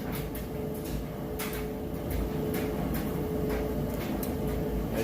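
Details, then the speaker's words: 1-year-old Amana electric dryer tumbling a load of wet clothes during resale test: soft, uneven thumps a few times a second over a low motor hum; stable, no weird noises or hopping, normal operation. "can see it sounds great nice stable no weird noises or not hopping around anything like that"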